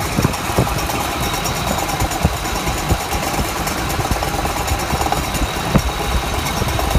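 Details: Ford F-150 Triton V8 idling with a rough hum and an irregular metallic rattle ticking through it.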